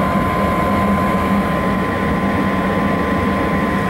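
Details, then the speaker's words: Hybrid propane furnace with heat pump switched to stage two: heat pump locked out by relay, furnace runs startup sequence and burner lights; steady even burner roar with constant hum, no rumble, pulsing or flutter; firing normally. "so the fice is doing its startup sequence now and right now the heat pump is just locked out on the relay the thermostat is not hot yet okay the burner just started"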